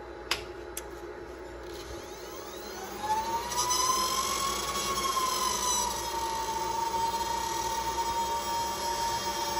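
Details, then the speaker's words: Supermicro quad GPU compute server powering on: a power-supply fan's shrill whine climbs as it spins up, then holds loud and harsh over a steady rush; failing power supply fan. "one of those fans in the power supplies sounds absolutely terrible that's not good"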